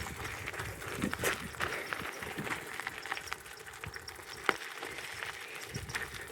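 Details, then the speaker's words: Raleigh Police Model bicycle on its first ride; irregular dry creaks and ticks following pedal strokes from one pedal, the other already fixed. "I'll deal with that uh shortly. But that is one of the pedals. It was both of the pedals, but I've uh rectified one of them."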